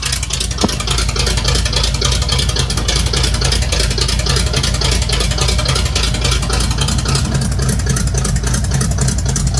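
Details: Quick listen test of a V8 truck with race bullet mufflers; deep loud even idle rumble, steady firing with no knocks or misses; normal idle and revs, healthy engine.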